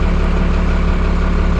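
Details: 1991 Freightliner FL70 tow truck, believed 5.9 12-valve Cummins diesel, sat about 15–20 years; started right up like a champ: steady even low diesel thrum at idle, no knocks or misses, good oil pressure; normal idle.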